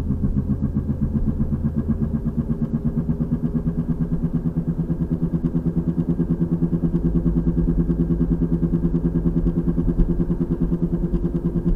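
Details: 2003 VW Passat FWD, 180,000 miles, while driving: a steady boom-boom thump about three times a second that gets faster with speed. It is loud when steering stresses one side and almost gone on the other. Passenger CV boot is torn. Worsening over 2–3 weeks.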